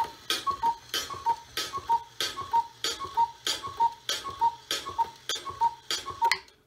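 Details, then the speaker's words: Repaired 1970s Black Forest cuckoo clock, movement cleaned and lubricated with WD40; clear two-note cuckoo repeats about twelve times at an even pace, each call full and crisp; bellows working, normal cuckoo call. "now everything is working. You will say, oh, it cuckooed. It didn't just coo or coo, it cuckooed. So that's good."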